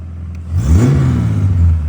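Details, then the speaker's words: 1969 Holden HT Premier under restoration, first start after revival, in neutral: revs up cleanly from idle, rises smoothly and holds without popping or stumbling; normal free revving. "There you go, son. Are you joking? It's running. Back from the dead, son."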